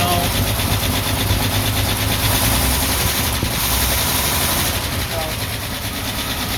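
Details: 1949 Ford F1 six-cylinder, rebuilt engine after sitting 20 years, idling in neutral: rough, lumpy idle with an uneven beat about three per second, not firing on all cylinders; owner suspects distributor or plug wires, unconfirmed.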